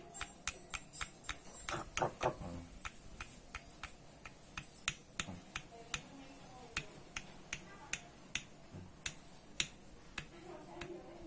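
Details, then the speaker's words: Yamaha Soul GT 125 crankshaft out of the engine, rocked by hand: sharp hard clacks about twice a second from a loose connecting rod big end; rod and worn bearing need replacing. "Ya, positif. Jadi stang piston atau stang severnya ini kocak."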